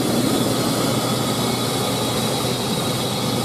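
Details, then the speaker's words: 2000 GMC Sonoma 2.2L I4 at idle: steady hiss of rushing air over a rough idle around the intake, only at idle, possibly only with AC on; owner suspects intake gasket leak, plastic intake air noise or freon, unconfirmed. "but yeah I do have some noise coming through the intake that I've just started hearing I don't know if I have a intake gasket leak or what but I hear rushing air around the intake area"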